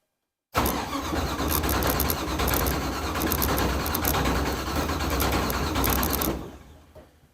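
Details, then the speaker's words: Newly built V8 race car engine, first start attempt after fueling, 20 psi oil pressure while cranking: starter turns it steadily about six seconds without catching; crank no start, ignition timing to be checked. "Apparently nothing. It's got 20 pounds of oil pressure already."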